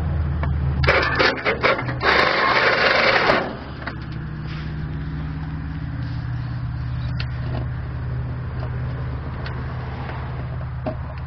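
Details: Murray machine cranking: starter churns in uneven bursts for a few seconds and the engine never catches, battery going flat; cranks but won't start.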